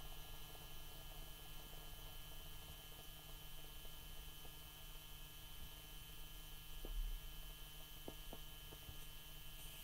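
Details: 2004 BMW E60 530d automatic, engine off, with frequent wake-ups: steady low electrical hum with a faint buzz and a few soft clicks; source of the buzz unidentified.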